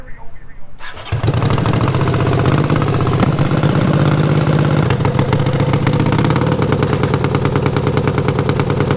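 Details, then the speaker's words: Racing mower with rebuilt carbs: catches, then chugs with uneven stumbling pulses and lumpy idle; owners about 95% sure weak coil spark can't burn all fuel under load, running rich and flooding. "i think we narrowed it down to a spark issue this sparks enough to like run an idle and kind of rev it up and everything but when you put it in gear and starts running under load it doesn't have enough spark to burn all the fuel"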